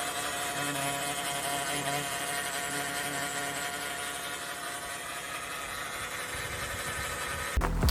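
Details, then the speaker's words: 2014 Chrysler Town & Country that whined and did not want to drive: a steady whine over the engine, from the driver's side, so the transmission pump rather than the power steering pump; a transmission fluid and filter service follows. "So that noise pretty much is your uh transmission pump. It sounds very familiar because it almost sounds like a power steering pump, but you're going to notice that it's going to be on the driver's side, not on the passenger side."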